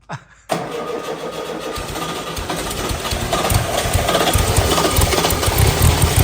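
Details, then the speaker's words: VW Type 3 flat-four: brief crank, then catches and settles into a steady idle that builds slightly; flywheel still self-clearancing audibly; healthy start. "ha yeah buddy yeah so good it sounds so good so good oh man flywheel is still self clearanced a little you can hear it"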